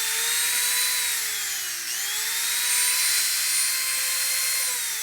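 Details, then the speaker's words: Auction-bought Craftsman variable-speed rotary tool (5,000–30,000 rpm), likely unused for a while with brushes smelling: high, clean whine dipping and recovering as speed changes, no rattle or grinding; normal running. "Works just fine. I can smell the brushes, so it might not have been run for a while."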